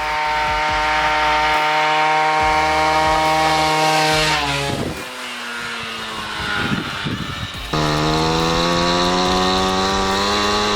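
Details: Piaggio Ciao moped, otherwise stock, with Polini Evolution, 75cc Pinasco cylinder and 19mm carburettor, on a test ride: the two-stroke screams high, falls away, then flares without pulling harder; the drive belt is slipping under load.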